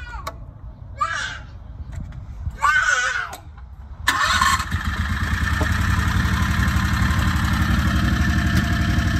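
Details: Predator 670 22HP V-twin in an EZGO Workhorse after the carburetor idle was turned down from about 1800 rpm. A smooth, even low idle with no misses or hunting at about 1100–1300 rpm. Correct idle; any lower risks stalling.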